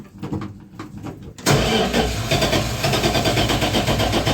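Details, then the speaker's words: 1976 Dodge D100 slant six that had been sitting, in neutral, with a new exhaust fitted: slow, even cranking, then it catches roughly and sputters because the carburetor had run dry; fuel was later seen pouring out of the carburetor. "come on [Music] baby carburetor is gone [Music] dry all right sounds like a slant six"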